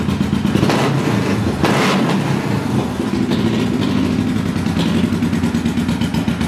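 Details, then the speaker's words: 1974 Honda CB500T four-cylinder cafe racer: idle and blips with an uneven, lumpy beat and irregular surges, fires right up but runs a little rough. Owner plans a carb rebuild and sync, cause not confirmed. "anyway yeah fires right up does not overwhelm a little bit rough hopefully soon I can get that straightened out"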